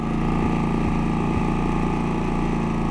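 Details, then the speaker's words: Harbor Freight Predator 3500 inverter generator, about 15 hours of use, eco switch off at full throttle: runs steadily then stumbles three times in a row. Recurring slight misfire persisting with a good spark plug. "And hopefully you were able to hear some of those very slight misfires, but they do seem to happen quite often, actually."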